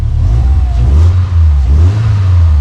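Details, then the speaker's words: Subaru Legacy big-turbo build at first start, after vacuum line refitted, no resonator in exhaust: quick throttle blip rises and settles cleanly, faint rasp at first then smooth; normal free rev. "sounds pretty good guys has a little bit of a rasp right at the beginning but then it clears right up it doesn't have a resonator in it"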